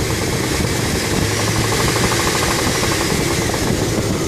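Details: 1996 Chevy Blazer LS 4.3 V6 idling low with a faint, quick, regular tapping knock that began after a 100-mile drive; owner unsure of source, heard at idle but not when driving.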